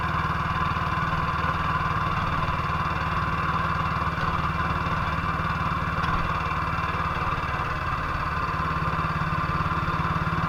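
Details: 1958 BSA C12 single-cylinder on a road test after a misfire fix; the misfire had earlier caused a breakdown, and the battery tested fine at 6.3 V. Constant, even thump with no gaps or stumbles, firing cleanly on every stroke. Sounds like it used to: normal running.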